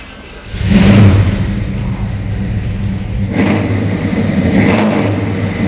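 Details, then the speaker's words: 1969 Buick GS400 Stage 1 V8 with Ram Air and Flowmaster dual exhaust: fires up with a deep even rumble, then two clean throttle blips rise and fall smoothly; healthy running engine. "Because although there's some great cars out there, this car here really is spectacular. I'll just go ahead and start it for you so you can hear what it sounds like."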